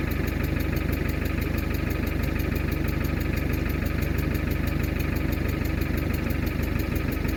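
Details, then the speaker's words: Mercedes W123 300D, 3 L diesel parked 20 years, started once the vacuum switch cutting the diesel pump was closed. A steady, even clatter of about two beats a second at idle: a healthy idle. "there you go so uh the whatam call it the the uh switch the vacuum switch that kills the diesel pump I I closed that once and it just started and reved out like that"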